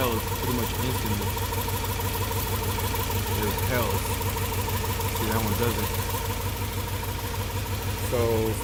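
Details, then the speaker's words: Honda Civic with a swapped-in H22 engine: uneven, lumpy idle with a stumbling beat under the rumble. Cylinder number two is not firing; a recurring misfire. "cylinder number two I mistook with cylinder number one last time but sooner number two is the one that always gives me problems"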